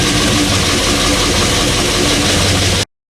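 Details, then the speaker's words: 1984 K20 LS swap, 5.3 V8 running cold with busy clattery top end over steady rumble; typical 5.3 lifter tick, expected to clear as oil pressure settles. "well you guys heard it run sounds okay has the typical 5'3 lifter tick"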